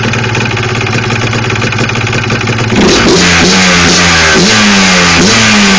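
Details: Yamaha Blaster two-stroke ATV at idle: a dull, steady knocking rattle, then revving up and down in blips. The knock is attributed to piston slap.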